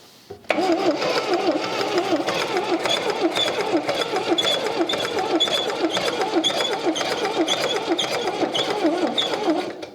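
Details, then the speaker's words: 1979 MGB, not run in decades, cranking after spark plugs were tightened: fast even cranking with only a faint occasional sputter and no catch; likely just one or two cylinders firing, plugs badly fouled, valve seal suspected. "We're probably getting 1 or 2 that's hitting, and the fact that the spark plugs look so nasty is terrible."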